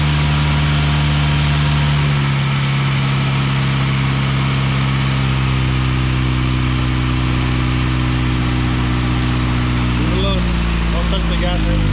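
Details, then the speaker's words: Big-turbo 1.8T with a Hemi throttle body at first start after throttle adaptation: uneven idle with pitch stepping down in jerks before it stalls, caused by a vacuum leak not yet found. "yeah it was a vacuum leak i gotta find it"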